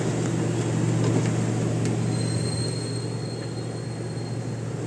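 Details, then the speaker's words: Gasoline Toyota Revo that wouldn't start after mechanics replaced the distributor oil seal: after re-timing by feel and refitting the distributor, it starts and idles at about 1,000 rpm with a steady, low, even hum and gentle regular pulse, no misses or knocks. "aan umandar na umandar na siya u o ano yun Ayan may power na"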